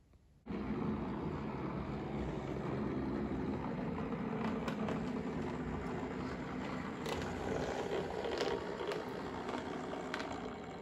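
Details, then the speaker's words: Hornby Railroad Plus Deltic model locomotive with TXS decoder running slowly anti-clockwise after about 20 minutes; coarse, uneven rumble and clicks from a vibration, fine at higher speeds, only bad at slow speed. "So as you can see and probably hear, it's still making quite a noise. It's been running around now anti-clockwise for about 20 minutes."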